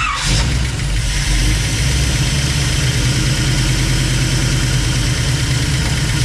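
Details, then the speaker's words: Rat rod tow truck engine after readjusting new stainless steel rockers, valve cover off: steady low idle, even smooth beat, no loud ticking from this bank; sounds much quieter and properly adjusted. "I feel like it's on this side now yeah this side sounds pretty quiet it does it sounds a lot better even with the cup the cover off doesn't make it louder does it"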